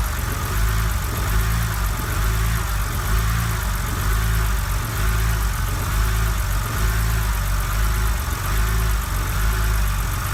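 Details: BMW 130i on cold start, engine warning light on: low idle with an uneven surge about once a second, rough for the first 10–30 seconds then quiet; owner suspects the lambda sensor.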